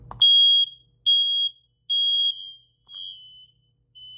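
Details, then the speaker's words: Last bedroom home smoke detector, dated 2017, part of the builder's matching set, on test: five shrill high beeps about one per second, each cut cleanly, the last two quieter. The detector sounds normally. "There you go. You can hear the final one going off."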